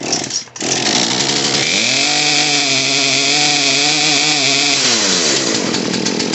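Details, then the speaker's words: Poulan P3314 chainsaw after carburetor fuel line repair and adjustment: revs up, holds a slightly wavering high pitch for about three seconds, then drops to idle; the mixture sounds about right but idle is a little low. "needs to be done just a little bit [Music] more that sounds about right idle's a little low"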